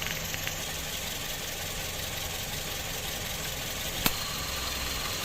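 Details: Toyota Vios 2007 at idle with AC running, after compressor replacement, flush of all refrigerant lines, new filter-drier and expansion valve; original belt kept. Steady idle with smooth hiss, no knocks or squeal; compressor and engine normal.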